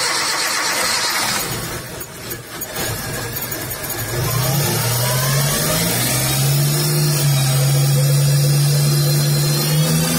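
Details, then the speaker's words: Suzuki Jimny Katana after replacing a snapped timing belt and tensioner, distributor set to number 1, electric fan refitted: brief cranking, then catches and settles into a steady, even idle with smooth hum, no knocks or misses; normal start and idle. "Extra fan-nya sudah selesai, sekarang kita tes untuk menghidupkan mesinnya. Coba di start."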